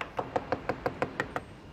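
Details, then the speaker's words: Tap test on a US military C-5M Super Galaxy cargo plane skin panel: eight even taps give a dull flat knock instead of a bright metallic ping, because the honeycomb core is disbonded from the outer skin; damage found. "and that sound why does that sound different because the the core is despondent from the outer skin so that's our damage"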